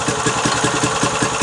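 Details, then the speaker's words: Briggs & Stratton 3.5 hp single, likely little-used, after carburettor clean, started with ether: quick even putter, no misses or knocks; smoked a bit at start-up, oil still clean, runs well. "smoked a bit when we fired up but like I said I still think it's a new motor is that the oil is still quite clean it's killing you still me sounds good"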